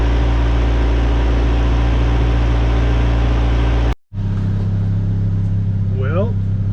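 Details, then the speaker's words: Cheap old Ford Ranger after unsticking injector and new fuel tank, pump, tune-up, temp creeping up, oil pressure showing: steady even low rumble after brief cut, no misses; running excellent. "i don't know where that came from but uh i'm less concerned about that because this thing is running excellent"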